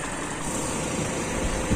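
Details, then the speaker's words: Toyota Kijang Super engine, warm after about 10 minutes running, thermostat open: low, smooth, steady idle hum with no knocks or ticks; engine sound smooth, normal warm idle. "mesin sudah jalan sekitar 10 menit ini sudah panas berarti thermostat sudah buka radiator saya sudah padat Alhamdulillah kita ada masalah suara mesin juga halus"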